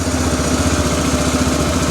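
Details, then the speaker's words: Arctic Cat 400 4x4 ATV after replacing carburetor (previously wouldn't start or run well), idle screw just lowered, engine still warming up: steady, even idle with quick regular firing beat, no stumble or hunting; new carburetor working, normal idle. "So look at that, guys. New carburetor working like a charm."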